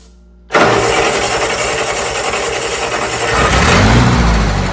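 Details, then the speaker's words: Old Bobcat 610 skid steer, Wisconsin petrol engine with old carburetor just opened: catches at once, then runs unevenly with a stumbling, wavering beat before revs climb; owner thinks it picked up water in the carburetor and plans fresh gas. "think we picked water up already in that carburetor. Dang it!"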